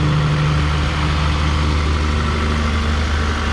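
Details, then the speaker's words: 2008 Toyota Camry LE, 2.4-litre four-cylinder, 80,000 miles, check engine light on: steady, even low hum at idle with no misses, ticks or knocks; engine running smoothly, normal idle. "great engine by Toyota and this one sounds like it's running smoothly"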